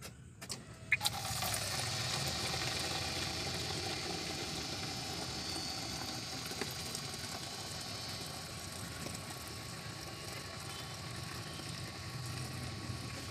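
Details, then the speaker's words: Mahindra Bolero Maxi Truck Plus with a starting problem, new in-tank diesel fuel pump motor assembly fitted, key on for a flow test: click, then a steady hiss of flowing fuel with a faint whir beneath; normal delivery. "இப்போ வந்து diesel டேங்கில் motor பூஸ் மாற்றிருக்கனால இப்போ எவ்வளோ diesel வருதுன்னு check பண்ணிக்கலாம்."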